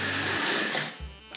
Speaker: just suddenly drops out half wave go backwards and hear that chatter from the motor it's vibrating through the coaches